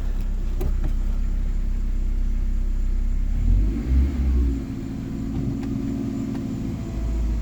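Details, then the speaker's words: 2001 Ford Escort ZX2, first revving: low rumble that hangs before the revs climb, so pickup lags the throttle. Delayed throttle response. "I don't like how that I don't like the delayed revving, but but my goodness."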